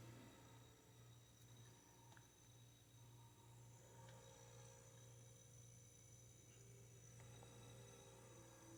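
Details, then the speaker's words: Haier HRC2731ACW mini refrigerator at start-up: quiet steady low compressor hum with a faint hiss and trickle of freon flowing through the lines, evaporator coming out cold; normal refrigerant flow on a fresh start. "You can hear the freon going through."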